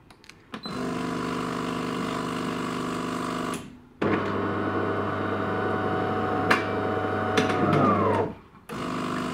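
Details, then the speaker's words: De'Longhi ECAM coffee machine, rinse cycle pressed: motor hum with a low drone and rough creaking, scraping grind as the brew group travels back; pucks not fully ejected; brew group binding, needs cleaning and greasing. "dann tut es auch bei der blutgruppe wende zurück fährt tut ist schon ganz schön krachen so knarrend kratzen ja das ist ein deutliches indiz dafür dass"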